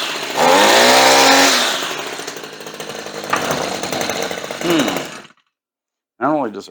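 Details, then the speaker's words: Redmax two-stroke weed eater that wouldn't start; it had spark, fuel was sprayed into the carb, and a spark plug change is mentioned. Now it revs cleanly to a high buzz and drops back to a steady idle: normal running. "med at den kører, det lyder godt. Lad os se om chokeren virker."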